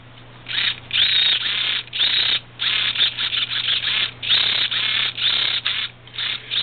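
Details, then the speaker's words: Traxxas T-Maxx 2.5 RC truck steering servo tested with linkage off: harsh raspy buzzing in stop-start bursts as it sweeps; it works but the servo motor is thought to be worn out, so the servo was not reused. "it sounds really really really bad doesn't sound too good to me it sounds like the motor in this row is wasted"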